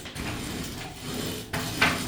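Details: Sliding shower screen door: rough, ratcheting, very jumpy grind as the door rolls along its track, from worn, rusted-out roller wheel bearings.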